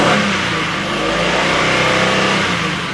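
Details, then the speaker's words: Oldsmobile Silhouette van, jump-started after sitting: engine revs up and the high-pitched knock/tick fades as rpm climbs, so owner doubts a rod knock; later traced to a loose rocker arm bolt causing the noise and misfire. "Still drives and everything, just runs a bit rough because of that knock. Kind of goes away when you rev it up, so I don't think it's a rod knock."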